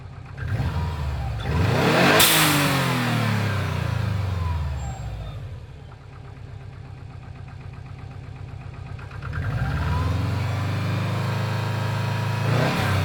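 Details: Subaru Impreza WRX GC8, EJ20G turbo: two rev sweeps with a rapid regular knock following engine speed; driven a year, prior owner two years; told forged pistons knock, owner suspects connecting rod; cause uncertain.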